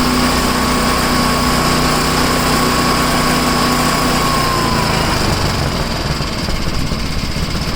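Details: Tecumseh-engined snow blower started after sitting 10 months, choke on and throttle up, fitted with a new adjustable-mixture carburetor left unadjusted. It holds a steady high-speed drone at constant pitch, no hunting or misfires. Running healthy.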